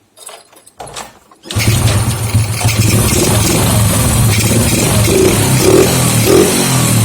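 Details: Honda Grand fitted with a used CDI from another bike, after the leaking spark plug cap problem: the engine catches after a couple of tries, then settles into a steady, even idle with no misses. It runs normally.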